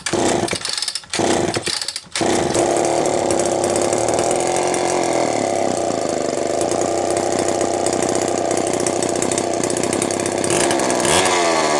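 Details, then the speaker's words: Terry-built Homelite chainsaw, unboxed and first run after choke off: two-stroke fires after a couple of pulls, burbling, wandering uneven run, smoking; owner says carb way out of tune for fuel mix and elevation, running rich. "Smoking. Well, I was way out of tune for my fuel mix and my elevation, but that's okay, I'll figure it out."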